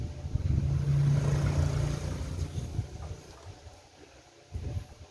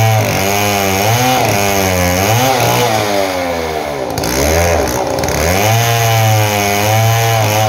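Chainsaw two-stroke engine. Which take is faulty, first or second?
first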